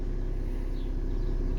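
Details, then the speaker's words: 2013 VW Jetta TDI that knocks at idle, with camshaft position sensor code and timing said to be off: shifted into drive, it gives a steady, even low diesel drone with no knocking, as the load tensions the timing belt tensioner and quiets it. "See that? That put more pressure on the engine, and the tensioner stretch more, and it makes it"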